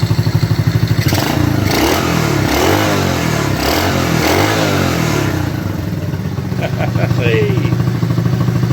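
Small single puttering steadily with a brief blip of revs, firing evenly with no knocking or misses: sounds healthy.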